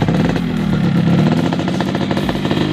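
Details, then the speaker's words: Yamaha RX King two-stroke, 2002, stock unported engine, weak battery: steady even two-stroke burble at idle, quick regular beat, no knocks or rattles; engine still smooth. "Nah, secara sekilas mesinnya masih halus."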